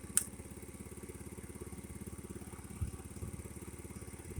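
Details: Refurbished 50cc Chinese scooter with 13 miles, warm idle after draining water-contaminated fuel from tank and fixed-jet carb, new spark plug and idle raised: soft, quick, even putter, steady with high beam on, around 13.5V charging; normal idle.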